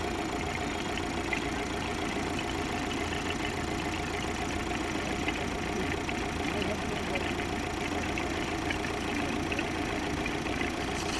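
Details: 2025 Tata Safari diesel engine at idle: a smooth, even, steady beat with no knocks, misses or surges. Normal idle.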